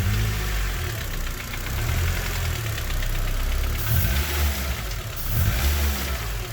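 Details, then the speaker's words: Honda Civic with K20 swap, idling: deep uneven thumping knock about four per second, loudest mid-engine; earlier rod-bearing trouble, piston slap now also suspected, engine coming out for teardown. "sounds a bit iffy down around about here though in the middle so i'm not convinced it is the rod bearings 100 could well be pissed and slap like brock suggested because it does sound like the noise is somewhere in the middle here"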